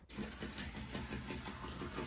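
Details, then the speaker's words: Dry, unlubricated motor in an old, long-unrun N-scale model locomotive, spun up by the controller: thin whiny hum with faint rapid pulse, howling and crying; needs lubrication. "Oh, it's howling already. It's so dry. I can hear it cry babying in there."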